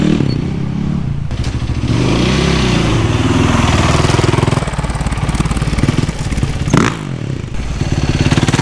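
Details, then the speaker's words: Rebuilt Yamaha YZ450 after replacing stretched timing chain that caused ticking: crisp, even single-cylinder beat with clean throttle blips, no top-end tick or chain rattle; much quieter, healthy. "the engine sounds much quieter now I think it's this is a normal Y Z 450 sound that old timing chain was garbage I'm so glad I swapped in the new one"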